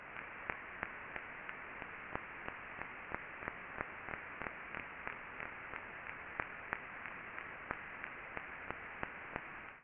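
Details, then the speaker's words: Ultrasound listen (SDT LubExpert) on a rolling bearing after greasing: sharp regular impacts about 1.5 per second over a steady hiss reveal a bearing defect. "On peut entendre les impacts qui se passent sur ça. Donc, en plus d'avoir été capable de graisser correctement le roulement, on peut faire le diagnostic complet du roulement pour voir s'il y a un défaut, pour planifier son changement."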